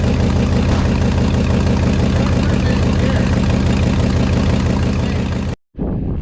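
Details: 1969 Ford F-100 FE V8, running after sitting: steady, lumpy idle with a fast puffing tick, about three per second, over the rumble from a giant exhaust manifold leak, typical of FE engines; headers planned as the fix.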